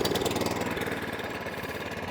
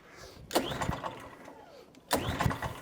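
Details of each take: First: Atco Balmoral 20SK mower with a Kawasaki engine, E10 fuel previously left in the tank and carb; unused for 3–4 months, started first pull on half choke, then warming with the choke off; quick, even firing pulses settling into a steady, clean idle. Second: Atco Balmoral 20sk mower left with E10 fuel in tank and carb, started on choke: two short firing bursts that die away at once; fired first pull then stalled, stale E10 fuel problem.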